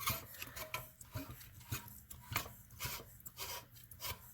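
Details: Generac 3250 generator engine, opened up with pushrods removed, crankshaft turned slowly by hand: uneven dry scraping on each turn, no firing. Cause of the internal rubbing unknown; owner suspects backed-out back or case plate bolts. Later turned freely.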